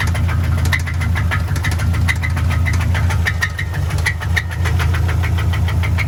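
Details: Subaru bought cheap with a knocking engine, started on a second battery: sharp metallic knocks at a quick, fairly regular pace over a rough idle; owner hopes it's not the Subaru's notorious fourth cylinder, source unknown.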